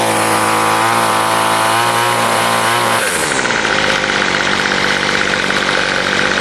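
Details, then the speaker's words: Weed eater small two-stroke after carburetor adjustment: holds a high buzzing rev, then drops cleanly to a steady idle with no stumbling; normal running. "adjusted the carb the way i wanted it to be adjusted i made two little uh lines with the the grinder and actually runs pretty good here"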